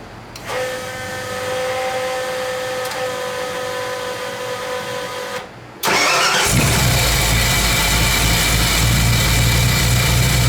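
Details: 1985 Ford F-150 302 V8, first start after fitting copper header gaskets to replace burnt paper/metal ones, plus new header wrap: starter cranks briefly, then the engine catches and settles into a steady, even idle with no exhaust puffing or ticking.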